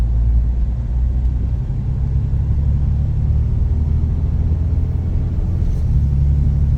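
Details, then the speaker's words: Jeep Grand Cherokee WJ 4.0 while driving: deep, loud droning rumble louder than stock; rusted hole in exhaust where heat shield was, no axle or pinion bearing noise heard. "I do not hear any bearing noise, any axle bearings, any pinion bearings, anything other than my nasty exhaust leak."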